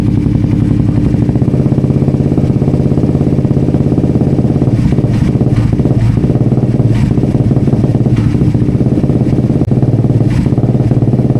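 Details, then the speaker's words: Suzuki GSX-S150 single with aftermarket exhaust and K&N filter on freshly reset stock ECU, throttle tested toward 3,000–4,000 rpm: uneven stumbling beats and pops, won't rev cleanly, faltering from about 2,500–3,000 rpm; misfire under throttle, owner thinks ECU needs relearning. "Wala, pumupugak. Yan, so kita nyo guys, pumupugak siya, no? And hindi nga natin siya mapangat hanggang 4,000."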